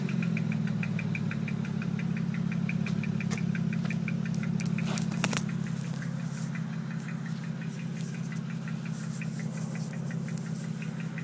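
A low engine drone with a ticking beat near three per second that stumbles unevenly; the engine is missing on a cylinder.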